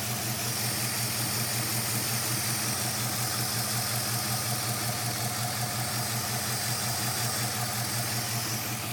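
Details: 5.7 Hemi V8 idling with an uneven, loping rhythm, roughly two to three shakes a second over the hum; running rough, cause unclear.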